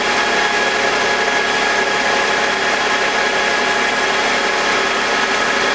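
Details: BMW E46 with M52TUB25 engine at idle, exhaust VANOS disconnected: smooth even hum, steady speed, no grinding or rasp, no RPM drop. Owner suspects the VANOS causes a grinding noise, worse at startup, heard when connected. Normal idle.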